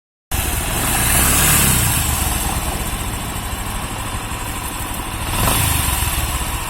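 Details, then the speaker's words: Bajaj Discover 125cc engine under light throttle: a rough "ghar ghar" rumbling growl from inside the engine that swells with each blip. A broken internal bearing is suspected, and the full engine must come out to open it. "थोड़ा हल्का पिकअप दो। तो फिर इसका अंदर से एक आवाज आता है, घर घर घर घर, देखें साउंड। देखते हैं इसका अंदर कौन सा बेरिंग टूट गया।"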